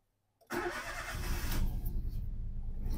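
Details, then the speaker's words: 2011 Toyota Aygo 1.0L after swapping spark plugs and coil packs between cylinders: the engine catches, then idles slightly uneven and lumpy. The warning light is off but slight vibration remains; a faulty spark plug is causing the misfire. "now engine management light disappeared but still car has a slight vibration that means something not right"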